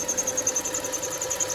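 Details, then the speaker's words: 2.7L V6 Kia Rondo at quiet idle, before repair: sharp high-pitched chirp repeating about ten times a second; owner thinks the idler and tensioner pulleys are making the noise, belt also due. Cause suspected, not confirmed. "Like I was saying at the beginning there, and as you heard, this thing needs, I think, the new idler and new or new tensioner pulleys. They've been making some noise,"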